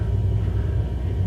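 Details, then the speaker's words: Hartke HD150 bass amp: a steady low furnace-like rumble with no rhythm persists even with volume and EQ turned down, growing louder as EQ rises; the noise comes from the amp itself. "do you hear something sounds like a furnace inside the amp can you believe that very annoying right now"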